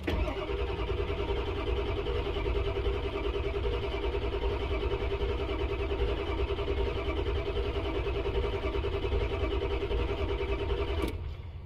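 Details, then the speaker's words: 1999 Ford F-250 7.3 Power Stroke diesel after repairs, building 500 psi oil, batteries pulling down: steady, even cranking nearly twelve seconds without catching; fuel present, but injectors not yet firing. "it definitely smells like fuel in the shop so i know we have fuel so we just got to get these injectors to fire"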